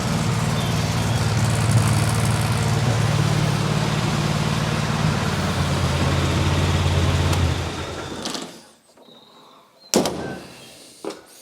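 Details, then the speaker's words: MGB GT engine first run after long standing, with rebuilt Weber DCOE carburetor and new fuel regulator set to about 300 grams: even, steady beat for about eight seconds, then clean shutoff. Normal smooth running. "I hope that you enjoyed it as much as I did everything seems to be running quite smoothly"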